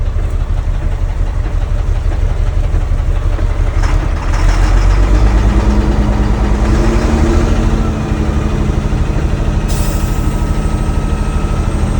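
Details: Caterpillar 3126B diesel in a Freightliner FL60, first start after new HEUI high-pressure oil pump and resealed injectors: lumpy idle with cylinder 1 misfire, major blowby from road draft tube.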